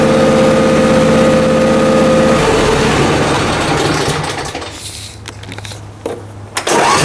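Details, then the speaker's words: Briggs & Stratton Intek M44 twin mower after total carburetor tear-down and clean, manifolds removed this time (earlier air-blow-only attempt likely failed): steady even running at speed, no hunting or surging, then smooth wind-down; works as it should, normal running. "hey well there we go she worked good it worked just the way it used to and should"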